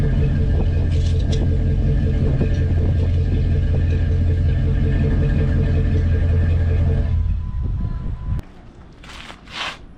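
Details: 4.7 V8 in a lifted car, started and idled right after an oil and filter change (oil near the add mark): deep, steady V8 rumble with an even low beat for about seven seconds, then shut off; normal healthy start and idle.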